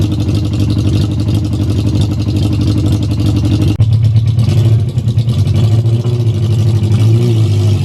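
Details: Yamaha XJ600 project bike after refilling the carbs directly through the fuel line to cure suspected fuel starvation: engine has caught and keeps running, a low, fast, even burble with a couple of small blips, so fuel is getting through now.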